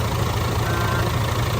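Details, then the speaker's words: DAF CF85 Euro 6 truck diesel idling after repair of a top-end knock: worn inlet camshaft and rocker arms replaced, engine brake, shells, gasket, tappets adjusted. Deep even low rumble, no knocks or misses, no oil leaks; sounds really good. "I think it sounds pretty good. No oil leaks. Good. Sounds alright, sounds really good."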